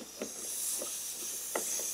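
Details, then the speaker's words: Newly extended shop compressed-air line pressurized: steady, thin high hiss with no engine behind it; leak suspected at a gear hose clamp, fixed by replacing clamps. "not sure if you can hear it or not but we have a leak here"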